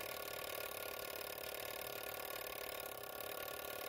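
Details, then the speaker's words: Vintage Couch coded fire alarm pull station after pulling: spring-driven gear train turns the code wheel, which sends code 2652 and resets itself. Steady fast mechanical whirring with fine rapid ticking, about three per second, and no catches or grinding. Normal gear train operation. "right here you can see the gears all moving in there"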